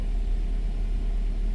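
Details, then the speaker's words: Nissan X-Trail with QR20 engine, first start after fixing P0302 cylinder 2 ignition coil fault: smooth steady low rumble with no misses or knocks; normal high cold-start idle. "The idle is high because the vehicle is now starting up for the first time."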